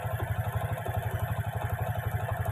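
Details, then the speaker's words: Honda Karisma single-cylinder at idle after replacing the cam chain and its tensioner and repairing an oil leak; it had a harsh ticking before. Now a steady, even putter with no tapping, running smooth and healthy. "ini nampaknya sudah halus sudah lumayan sudah bagus ini ada seperti ini suaranya"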